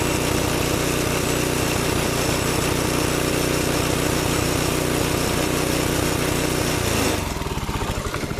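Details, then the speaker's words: Rebuilt 6.5HP Predator Honda-clone single, previously water-seized, on a Baja Warrior minibike, during break-in: steady even beat held at governed speed with no knocks or misses, then easing toward idle; runs smooth, no smoke. "He said you should break it in normally, and I guess to me that means let it idle for a while, then run it up against the governor,"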